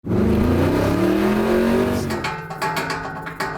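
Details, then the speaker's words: 1981 Corvette V8 floored: revs up and drops back, then loose clunks and rattles as it settles; owner suspects broken motor mounts letting the engine flop, exhaust also old; cause not confirmed. "the motor mounts i think are coming off because i mean they're broken because um when i floor this thing the engine just sounds like it's flopping a"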